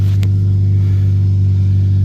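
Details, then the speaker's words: 2010 Toyota Yaris 1.5 L four-cylinder manual, after exhaust work that ended a previous rattle: deep, steady low rumble with no metallic rattle; normal exhaust note. "Sounds a lot better. It actually has some sound to it. It doesn't sound bad."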